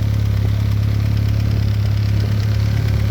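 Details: VW B5 Passat GLS wagon 1.8T, after a high-flow exhaust manifold upgrade: steady, even idle with a smooth low pulse at about 2.5 beats per second and no ticking from the manifold; healthy.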